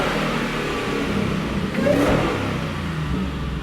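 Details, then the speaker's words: 2017 Shelby F-150 supercharged 750 hp 5.0 Coyote V8 after new stainless dual 3.5-inch megaphone exhaust routed over frame rail, at startup: deep, smooth rumble swelling with a rev, no drone or crackle; normal exhaust note. "And I think there is, but what this customer was looking for, so far, at least in the startup, sounds like we're pretty much there."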